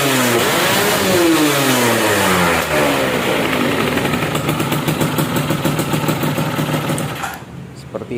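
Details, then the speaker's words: Yamaha F1ZR two-stroke after porting and engine setting, free revving; sharp blips climb quickly and fall back cleanly, responsive and full at the top end: normal, healthy. "itu suaranya ya udah biasanya responsif padat atasnya juga ngisi"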